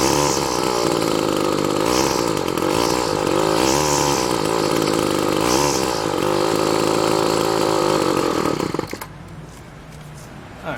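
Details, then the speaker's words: Weed Eater GTI15T trimmer, two-stroke on 40:1 gas, after fuel line replacement: revs high and buzzy but wavers, surges and dies; sounds fuel-starved, suspected from the fuel line and filter standing up too high in the tank. "part of reason life feels like it sounds like it's starving for fuel it's because the fuel line right"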